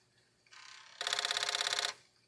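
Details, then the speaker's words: Commodore 1541 short-board disk drive with Alps mechanism, after repair (jumper J6 cut) with some corrosion left, running a performance test: short whir, then about fifteen crisp head-step ticks a second; normal operation, test passed. "yeah and this just this sounds a whole lot better this there's a little bit of noise here and there little tick sound but it's not doing horribleness"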